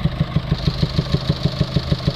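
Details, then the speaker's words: Mercedes Vito diesel taxi with ongoing DPF and EGR faults, code P300A7A (low-pressure EGR flow too low) persisting after a new part, revs held up: a loud rhythmic puffing, like exhaust gas coming back out of the inlet manifold and air intake; owner also wondered whether the airbox is disconnected. "it sounds like it's it's uh producing exhaust gases coming back out from the inlet manifold get that distinctive sound where you can hear exhaust gas coming outwards of the inlet the air intake"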